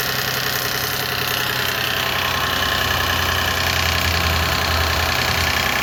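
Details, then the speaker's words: 2006 Lexus IS250 at idle and revving after replacing the primary timing chain tensioner, battery recently disconnected: fast fairly regular metallic rattle about two or three a second, seemingly from back of engine; not that tensioner, owner unsure whether exhaust leak or other tensioners. "Yeah. So, the sound kind of sounds like it's coming from the back of the engine. So, I'm not sure if I have an exhaust leak, but at least now I know it's not the tensioner or at least not that tensioner."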